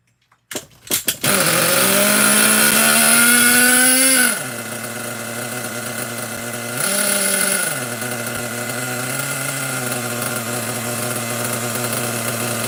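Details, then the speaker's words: Nitro RC truck engine bought used, carburetor likely still holding debris, run again to burn off fuel in the line: sharp buzzing note revs up then settles to a steady, even idle; engine runs cleanly. "Other than that, I don't think it sounds too bad. All right, cool. I'm all right with that. That's That's good. That sounded pretty good."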